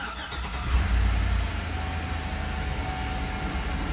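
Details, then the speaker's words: Chevy Tahoe V8 after new AC Delco spark plug wires, cranked to check codes; brief crank then even steady idle, no miss; running smooth, normal idle, though oil pressure gauge reads 80 so oil pressure sensor to be replaced. "Man, it's running smooth. Oil pressure gauge is reading 80, so I'm gonna have to change that."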